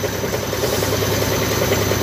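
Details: Side-door (front-load) washing machine during spin, heavy fast rhythmic thumping and strong shaking; drum counterweight loose.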